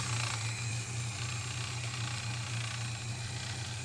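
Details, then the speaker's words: Boat engine running; steady low drone with an uneven rattling chatter about four a second coming back out the carburettor; owner suspects a burnt-out valve rather than a lost cam lobe, plans to pull the plugs; not confirmed. "the noise is now coming out the carby. I'm actually starting to wonder whether it's a burnt out valve now, which is probably the same as a lobe coming off."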